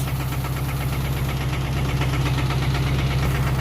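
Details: 1992 Accord with a stock JDM H22A on a turbo setup running 93 pump gas, idling with a steady knock about three times a second over a deep rumble; owner thinks the stock motor is done.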